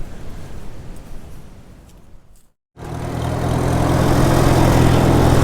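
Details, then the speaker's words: 1948 McCormick-Deering W-4 tractor at its first start after rescue: engine picks up to a smooth, even, steady beat with no knocks or misses until running out of gas; runs better than hoped, normal running. "This tractor runs and drives a lot better than I had hoped that it would. Very happy with it so far."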